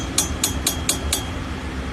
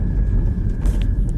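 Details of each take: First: 2016 BMW 320d, rear-wheel drive, rattle from centre console under acceleration and on rough roads: quick sharp metallic taps about four a second over drivetrain hum, a damaged handbrake cable bracket letting the cable hit the propshaft; fixed by repairing the bracket. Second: 2016 BMW 320D after fixing the damaged handbrake cable bracket that let the cable touch the propeller shaft and rattle at the center console: road test under acceleration gives a steady low drive rumble, no rattle; normal running.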